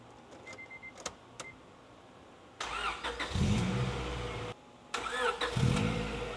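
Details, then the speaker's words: 1998 JDM Honda Integra Type-R DC2, first start after a new timing belt, water pump, seals, drive belt, clutch master and slave cylinders and engine mounts, while filling the cooling system: it catches quickly and two throttle blips rise and settle cleanly, running normally. "and guys she sounds really really nice uh all we trying to do now try to get her to Opera in temperature"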